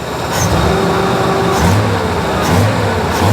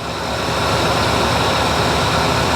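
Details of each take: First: AMC Jeep CJ5 with new carburetor, vacuum parts blocked off: repeated throttle blips with idle hanging high and climbing, because the unhooked choke sticks on and engages when throttle opens; power otherwise smooth, no sputter. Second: AMC Jeep CJ5 running smoothly after the new carburetor was installed: steady, even engine roar with a slight rise in load, no stumbles or knocks; new carb doing its job, vacuum ports blocked off, choke not yet hooked up.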